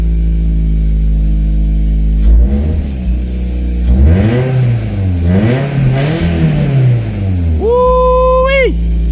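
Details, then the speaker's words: Toyota MR2 just started after a fuel tank system fix: engine catches and revs up and down with a loud, boomy, deep exhaust note, too deep to be normal; owner suspects an exhaust leak. "i don't think this is normal man it's too deep"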